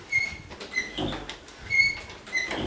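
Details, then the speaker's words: Condo door hinge squeaking as the door swings; repeated high tonal metal-on-metal squeaks from dry rubbing between the hinge knuckles, not the door hitting the wood; grease or hinge replacement is the remedy. "That's because in between the knuckles somewhere, it's doing that. It's not hitting the wood or anything."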